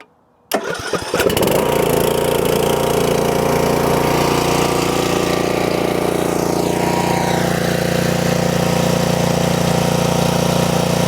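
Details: Used 2021 DR Pro 26 brush mower with 14.5 hp Briggs & Stratton Intek engine, DR battery trickle-charged: brief crank, catches at once and settles into a smooth, steady run with no misfires or rattles.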